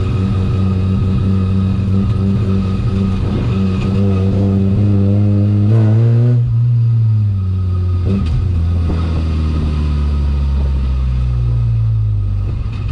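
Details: 13B rotary-swapped BMW E36 ute on a drive: revs rise and fall with a choppy, stumbling burble down low and it won't idle properly; misfire at low rpm, cause not yet found.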